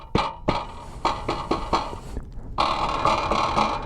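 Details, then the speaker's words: FD Freedare Saiga 48 V e-bike, heard while riding: the rear fender sits almost touching the frame, so loose, hollow clunks come in uneven bursts as it rattles and vibrates against the frame. "this rear fender is really close it's pretty much touching the frame here so when you're riding you can hear some rattling sounds or like vibrating of the fender"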